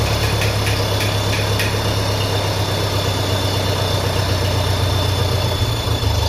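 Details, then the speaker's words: 1957 Ferguson FE35 TVO tractor at idle: constant thin high whine over a steady idle. An air (vacuum) leak. "Still something whining there. Sounds like an air leak."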